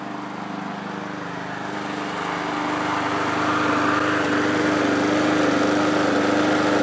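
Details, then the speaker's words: MTD mower engine with a gouged cylinder, after engine restorer and new oil: runs thin and labored, surging slightly; suspected low compression, barely enough to run. "I think that right now what I'm seeing back here is that this is a compression issue with the engine, and it has just barely enough compression to run."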